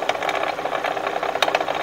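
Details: Kia with an engine replaced under recall that began knocking again about a month later, heard close to the water pump: a fast, uneven rattle with sharp ticks over a dry whir. Worn water pump bearing, a common failure.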